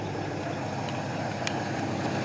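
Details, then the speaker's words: 1968 Ford Mustang coupe, off the road 15 years, carburetor with working choke, warming up at idle after recommissioning; steady even low rumble, no misses or knocks, doesn't smell rich; engine sounds healthy and well tuned. "see what does it sound like out here actually sounds good doesn't smell rich yeah"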